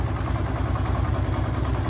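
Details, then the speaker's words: Honda Pop motorcycle with 5,000 km, engine still tight, after oil change and refitting a wrongly removed bolt; even idle with steady low beat, no knocks or rattles, healthy engine; small exhaust leak hole noted. "Olha só o barulho do motor é top é normal né zero bala"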